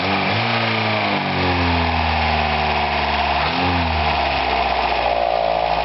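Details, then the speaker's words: 1982 Toyota pickup 22R, original engine with dual-row timing chain, water pump belt off, choke on, blipped twice: settles smoothly with only light even normal valve tap, no rattle; noise gone, owner blames bad water pump. "as you can hear the noise is gone does that sound that steps you know and your normal valve tape that's always made that sound"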